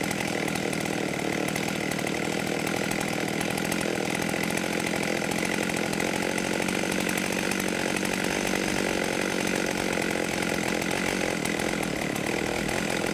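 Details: 1989 Husqvarna 50 chainsaw, sat years with old gas, after carb clean and tune-up: steady high buzz at full throttle, even and unbroken with no stumbling or surging; running well.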